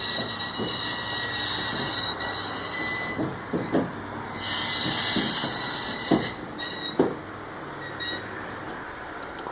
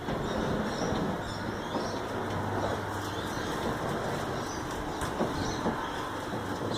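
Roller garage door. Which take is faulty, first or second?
first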